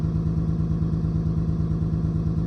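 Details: 28-year-old Lexus at low idle: a steady hum with a rhythmic stumble. OBD shows a cylinder 6 misfire and a random/multiple misfire code; the owner suspects the cylinder 6 coil pack or its wire.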